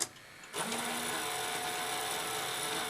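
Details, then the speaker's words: Toshiba V-77B VHS video recorder, fast-forward before belt replacement: small motor whirs steadily with a faint squeal but cannot turn the pulley, then the machine shuts down; old sticky drive belts slipping. "oh yeah that's that's just running that motor and it's not able to turn that pulley so yeah oh and the machine's shut down which is hardly surprising"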